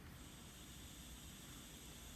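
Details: Aftermarket blow-off valve on a pressure test rig at 20–30 psi while barely holding about 5 psi: steady, even hiss of escaping air with no build-up. The valve's diaphragm fails to hold pressure, so it leaks.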